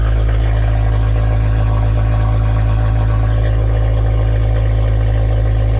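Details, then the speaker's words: K20-swapped Honda EF sedan with CJs K20 conversion harness, running after injector fault fixed: loud, deep, steady drone at constant idle speed with even pulse, no misses or knocks through a loud exhaust; normal idle. "all right guys so we're going to wrap it up for this video the EF sedan finally turns on under its own power"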